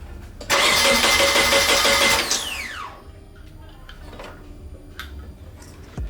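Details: Nissan 240SX (S13) that was being diagnosed for no start, spark plugs looked fine and battery at 12 volts: starter spins steadily under two seconds then winds down without catching; cause not confirmed, fuel pump wiring next.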